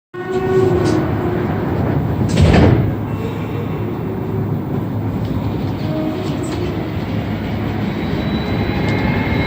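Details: AZUR metro train Set 3 departing a station: a faint, thin whistle over the rumble and wheel noise, rising as it speeds up; it makes this weird whistle leaving each station, source not identified.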